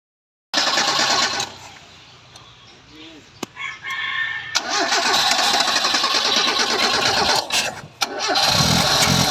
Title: Mazda 323 won't start. (ayaw umandar)